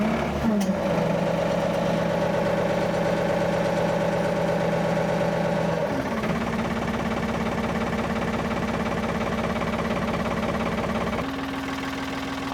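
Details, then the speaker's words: 1970s Ford 555 backhoe with rebuilt diesel engine, backhoe removed and converted to a loader, on its first startup since the conversion: it cranks and starts, settles into an even clatter, then revs smoothly; normal start. "I think with a fully hot battery, I think she just spun over just fine without the spray assist."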